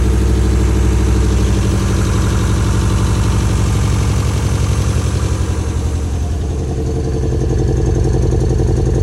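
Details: Toyota MR2 petrol engine idling with an uneven, lumpy, irregularly stumbling beat, a misfire that persists after new ignition leads were fitted.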